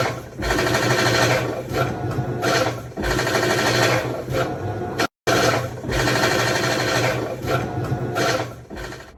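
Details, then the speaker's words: Whirlpool washer after an F7E1 code and a replaced shift actuator, during agitation: loud rasping grind with rhythmic low thumps; drive splutch suspected to have dropped, possibly from a backed-out bolt, and to be scraping the shield. "That sound is directly coming from the drive Splutch hitting the shield, probably cutting into it."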